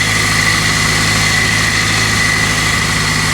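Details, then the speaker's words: 2003 Pontiac Vibe GT, 250,000-mile 2ZZ-GE, first start after 6-speed transmission replacement: thin steady high whine over smooth idle; owner suspects a failing pulley bearing, unconfirmed. "I hate to say this but it sounds like I've got a bearing out a pulley going"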